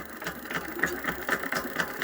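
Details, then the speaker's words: Electric bicycle hub motor: sharp, regular clicks about four times a second occur only when throttle is applied; the wheel spins freely without noise. Cause unknown, disassembly planned. "Теперь смотрите, когда мы нажимаем ээ на ручку газа, и пошёл у нас такой вот стук."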